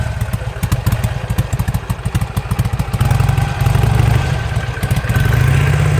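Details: 2007 Harley-Davidson Sportster that suddenly lost 90% power, with fuel pump running constantly; plugs replaced and fresh gas tried: uneven V-twin lope with thumps and popping backfires, stumbling and stalling as throttle opens; cause unclear.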